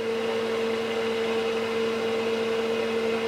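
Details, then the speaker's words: Keithley 228A 4-quadrant voltage/current source, running with 10 V output working: steady whirring rush with constant mid-pitched hum; cooling fan is a bit noisy, louder than it should be. "Fan's a bit noisy though. It doesn't need a big fan, this thing, it's not surprising."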